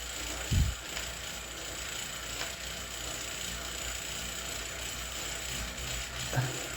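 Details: Zwift Ride on KICKR CORE trainer strapped to a rocker plate: occasional sharp, irregular clicks a few seconds apart over a quiet whir while pedalling; apparently a known trainer clicking fault, unit later replaced.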